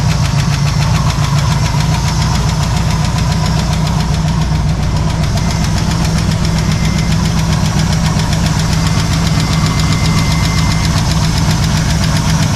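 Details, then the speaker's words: Ford 302 V8 with points ignition in a 1968 Chevy C10, first start: deep steady idle rumble with a fast light tick; unsure whether valve or exhaust leak, oil pressure 50. "is that a valve making that noise or is that like an exhaust leak down there"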